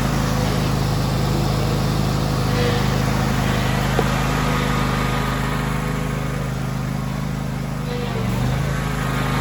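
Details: John Deere X300 riding mower, about 747–774 hours, 38-inch deck, throttle broken, transmission weak: single-cylinder engine started right up and holds a steady, even beat around idle with no misses or knocks; running normally.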